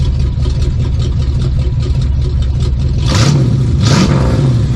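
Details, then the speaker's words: 1972 Plymouth Fury III 360 V8, new four-barrel intake and Edelbrock four-barrel carb, heard at the exhaust pipes; deep steady idle burble and two clean throttle blips rising and falling smoothly; healthy exhaust note. "Wow, that don't sound half bad, y'all. Let's go hear them pipes. I know y'all's been wanting to hear the pipes."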